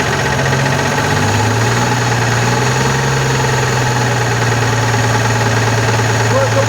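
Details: VW Constellation 19320 diesel truck after engine overhaul (new pistons, rebored cylinders), idling: steady low drone with rough chatter from the air compressor side, cause suspected, not confirmed.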